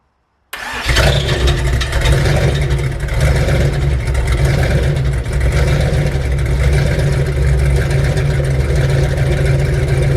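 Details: LS4 V8 swapped Pontiac Fiero, first start, no coolant, 40 psi oil at idle; fires and revs with a rough, busy rumble and a faint extra rasp, suspected starter noise after start, unconfirmed.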